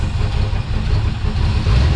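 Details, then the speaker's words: 1972 K5 Blazer with its carbureted engine (floats suspected stuck) and a blown-out muffler: deep, loud, choppy rumble at a fast idle with a lumpy, cam-like lope that is only from the high idle speed; engine feels gutless. "This thing sounds pretty good. So with that old blowed out muffler. It sounds like it has a cam in it, but that's just because it's running so fast."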